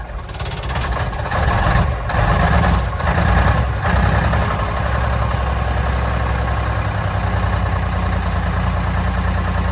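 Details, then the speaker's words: 1965 Mack B61 turbo Thermodyne diesel, started with ether in mild spring weather after a fuel filter change, air bubble suspected in fuel line: uneven loping, sagging very low idle, good oil pressure; cause suspected, not confirmed. "not a happy camper truck idle is extremely low"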